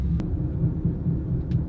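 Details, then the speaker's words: Toyota Highlander hybrid AWD driving: low rhythmic boom from the rear, four or five times a second, speeding up with road speed; first thought to be a right-rear wheel bearing. "sounds kind of like a wheel bearing right rear something in the back faster you go the faster the boom boom boom"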